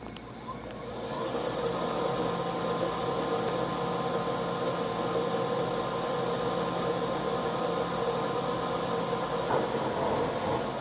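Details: HP printer rolling vinyl media back: steady mid-pitched mechanical hum with a faint buzzing rattle, drive not smooth; noise is louder in person and occurs only during the roll-back.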